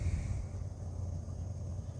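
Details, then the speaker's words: Galmet Airmax³ 14GT air-to-water heat pump outdoor unit at first start-up, recorded outdoors: soft steady low hum with even fan whoosh, no rattles or surging; leaves rustling audible, slight fan noise considered normal; runs very quietly and smoothly. "A tak pracuję sobie jednostka zewnętrzna jak widać a raczej w sumie słychać jest serio Cicha no bardziej słychać liście które tutaj szurają po ziemi No i słychać delikatny Wertera ale to jest zupełnie normalne tego nie przeskoczymy"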